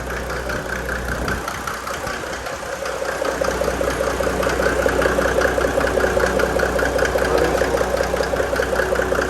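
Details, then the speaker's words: Mercedes W463 G300 with OM606 diesel just after an ECU install, idling. A crisp tick about two or three times a second, a top-end tick; a valve not sealing again is suspected, not confirmed. "Sounds like the valve is like, doesn't have, it's doing that. It sounds like the valve isn't sealing again."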